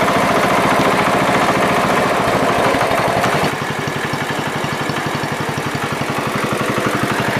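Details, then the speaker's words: John Deere 110 riding mower after electrical and carburetor work, plugged vent fixed: small single-cylinder engine chugging at steady, even beat with no misses or surging; runs clean and healthy. "I done good with that carburetor. Nice. Very nice."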